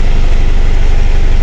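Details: Steady diesel idle with a deep, even thumping pulse on a 2010 Mitsubishi Strada 4D56 4x4 with hard starting, low power and check engine light; scanner shows EGR system codes U1102 and U1101, and the EGR valve assembly is being replaced.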